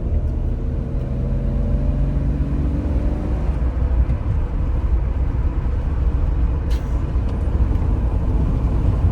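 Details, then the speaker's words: BMW E46 driving under load after the vacuum leak was fixed by replacing the CCV system and two bad coil packs. The engine pulls smoothly and evenly with no stumble or miss; misfires resolved, though it still leaks oil. "she's running good hell yeah dude"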